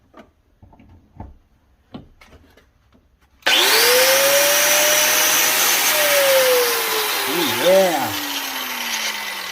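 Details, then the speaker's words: New DeWalt DWE402 11-amp angle grinder, free running with wheel fitted, unboxed: the motor spins up hard to a steady, clean high whine with no rattle or grinding, healthy and more powerful than an old 7-amp grinder. "by feel alone, I can tell you that grinder's got a lot more power than this guy."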